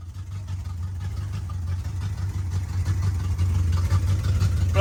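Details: 1986 Chevrolet Camaro Berlinetta with open headers, which had been sitting, finally started after repeated cranking; a loud, lumpy, uneven idle beat shows it running rough, cause not yet identified. It is left running to charge the weak battery.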